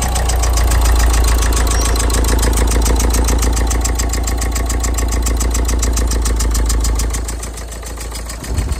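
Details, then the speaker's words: Renault Megane 1.5 dCi diesel, engine-fault light and power loss, scan flagged a faulty cylinder 3 injector (later swapped to confirm): deep idle with lumpy, uneven beat about 3.5 pulses a second, revving funny, then dies away. "it's definitely rev funny again"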